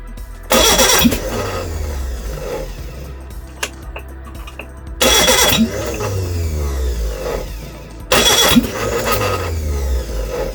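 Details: Reliant Regal Supervan 3 engine on the workbench, three cranking bursts that nearly catch with sharp backfire pops through the carburettor between them; misfire caused by two swapped plug leads.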